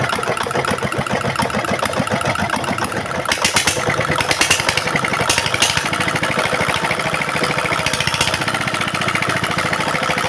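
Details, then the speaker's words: Single-cylinder diesel after repair (throttle rose by itself and would not drop; owner had recently replaced the nozzle; worn pump plunger replaced) runs with steady, even firing and no high-pitched sound; smoke gone, more stable than before. "OK, amis diesel, enfin le moteur diesel est revenu à la normale , dès le son, il n'y a plus de son aigu, puis la fumée a disparu du tout, et le le son est plus stable qu'avant"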